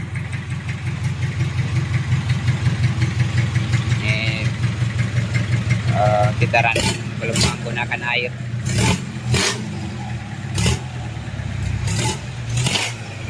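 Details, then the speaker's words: Rebuilt Mitsubishi 4D30 diesel (timing gear, injection pump and cylinder head fitted) running without coolant, with throttle blips. It clatters steadily and picks up cleanly on each blip with no knocks or hesitation: normal throttle response. "tanpa air. Dengarkan respons akseleratornya. Oke, bagus , pedal gasnya."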